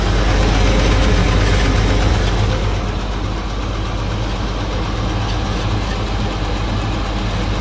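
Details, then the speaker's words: Hyster forklift 4.3 Vortec, run out of oil and seized, unserviced since March, started on weak jumper pack: loud rough idle with steady deep knock two to three a second and blow-by; bottom-end knock from oil starvation. "so let's see what happens she starts oh and she knocks little bit"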